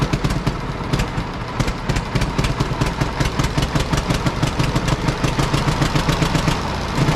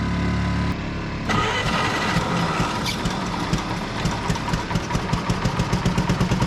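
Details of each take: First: Road grader four-cylinder pony engine, about 30°F morning, after freeing a stuck-open valve and correcting swapped magneto wires that fired it on exhaust stroke: quick steady popping beat settling into even run, no misses; normal running. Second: Pony starting engine on a cheap road grader, about 30°F morning, battery plus jump pack: with one plug out it cranks and catches into a lumpy uneven beat; stuck-open valve letting gas pour in, no compression.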